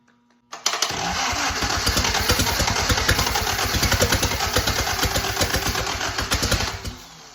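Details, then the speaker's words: 1943 Willys Go Devil WWII Jeep engine, first start attempts after decades, with the swapped spark-plug leads 3 and 2 corrected to firing order 1-3-4-2: starter grinding with ragged, uneven firing that briefly tries to catch on a weakening battery. Sputtering while cranking. "Got a little bit of starter grind there, so that means it was trying to go."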